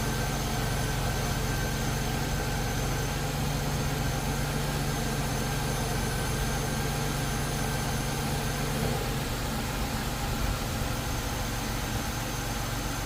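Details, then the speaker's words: 2001 Chevrolet Impala 3800 V6 after ZZP upper intake manifold install and new fuel injector O-ring: steady, even idle with a smooth low drone, no hiss or hunting; vacuum leak believed fixed, normal idle. "alright, so I think we're good. I think that new O-ring fixed that vacuum leak, or that, you know, fuel injector not seating correctly."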